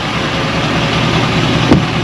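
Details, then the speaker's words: 2024 GMC 3500 cab-chassis with the L5P Duramax diesel, warm before an oil change: steady, even idle with a smooth low rumble and no knocks or misses. It sounds healthy; a minor rattle near the flatbed is noted. "We're going to change the oil. Boy, she sounds good."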